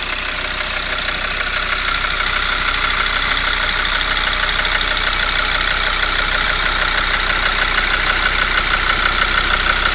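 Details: Mercedes ML W163 2.7 CDI diesel at idle; sharp even knock about three times a second from cylinder 5, vanishes when injector 5 unplugged; injectors cleaned and swapped, lifters replaced, compression good, cause unknown.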